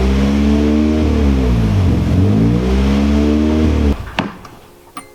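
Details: Boosted Nissan KA24 240SX on a first-start attempt after the turbo build: revs rise and sag unevenly with a wavering note, then it suddenly cuts out and stalls; cause not found despite checking connections.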